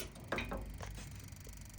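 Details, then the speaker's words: Autosleeper Pollensa motorhome gas heater, valve twisted to the spark symbol with gas on: a few sharp, quick igniter clicks; normal ignition. "that we've got an ignition going. Okay, hopefully you can hear that on the video."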